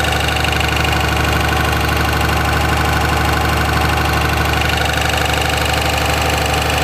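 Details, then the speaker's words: 2004.5 Ram 2500 Cummins diesel: regular knock about three per second, heard in reverse and when the truck rocks back and forth off the brake, gone at idle in park; cause not pinned down. "Let off the brake, truck bounced back and forth, and you can hear it when it bounced, but you can't hear it at idle. Yeah, it goes away at idle."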